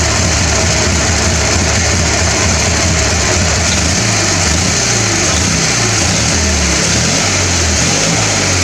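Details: Small single-cylinder mower engine after carburetor cleaning, draining water from the fuel tank and greasing the starter: it buzzes steadily with a slight pitch change midway, running smoothly and evenly with no misses.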